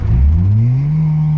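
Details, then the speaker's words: EK Civic with H22 swap, running 100 octane, full-throttle pull once warmed up: tone climbs, then flattens as if bouncing off the rpm, sputtering like a misfire; high-rpm stumble, unconfirmed. "It was almost like it kept bouncing off the RPMs. Like it wouldn't go anymore."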